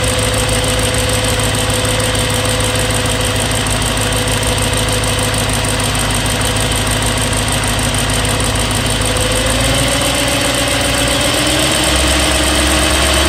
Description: mileage - 65,600 miles, oil change 1 month ago / 300miles ago, engine ticking noise developed cold, less noisy at warm but still present.